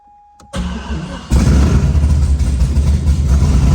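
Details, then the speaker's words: C6 Corvette after drivetrain reinstall, first start with EBCM bypassed; cranks briefly then catches, runs loud with uneven low thumping as it revs, odd rough noise of unknown cause; abnormal running noise. "that sounded weird sounded really weird we'll poke around a little bit"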